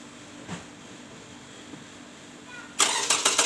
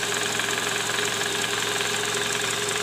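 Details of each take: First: Toyota Camry 2JZ engine after replacing the balancer shaft and worn balancer bearings (likely worn from bolts not torqued to spec), complaint was rough engine sound: starter catches after a quiet pause, then an even, steady idle with no knock or rattle, much smoother than before. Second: Toyota Camry 2JZ engine at 148,000 km, heard at idle from below near the oil pan: loud, rough, uneven gravelly knocking; worn, scored balancer shaft bearings, likely from improper installation with under-torqued balancer bolts.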